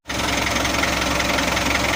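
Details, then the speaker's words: Mitsubishi L300 diesel, post-2010, after engine overhaul and rotor head pump upgrade, pump at standard break-in setting: diesel settles into even, steady idle with no uneven beats or knocks; normal smooth idle. "suaranya halus dan aman ini setelannya kita kasih standar soalnya masih masa in rayen"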